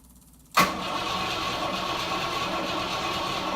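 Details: A quick catch on the first crank, then a smooth, even idle with no misses or stumbling from a 1968 Rover P5B after its leaking mechanical fuel pump was replaced by a front-mounted electric pump; healthy start.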